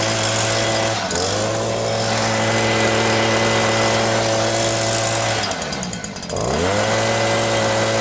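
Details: New Stihl SH 86 / BG 86 leaf blower at first start-up, steady full-throttle buzz dipping and recovering, soft and lacking power up top; very rich on the high jet as expected when new, to be leaned out after break-in tanks.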